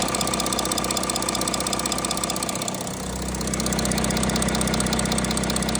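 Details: Audi A6 C8 3.0 TDI after camshaft sprocket and timing parts replacement for engine noise: steady diesel idle with even, regular clatter, no rattle or knock standing out; owner says the noise is gone, timing drive sounds healthy.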